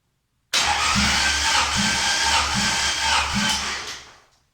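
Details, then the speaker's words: Honda H22 engine, compression test cranked via starter solenoid: steady cranking about four pulses a second, no firing; cylinder 2 reads about 145 versus 212 on cylinder 1, low compression. "So that's about 145, which is not looking great."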